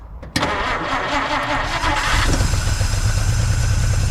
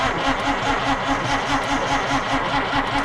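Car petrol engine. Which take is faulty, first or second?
second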